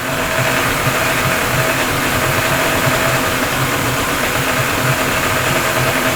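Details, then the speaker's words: Yamaha 40 HP two-stroke Precision Blend oil-injected outboard after carburetor cleaning, started first pull, smoky from oil-filled cylinders: buzzing along at steady even speed with no stumbling or misfire; running properly. "basically you're seeing what I'm seeing that's after the card clean and it started on the first pool I knew it was going to be smoky because the cylinders were full a two cycle oil"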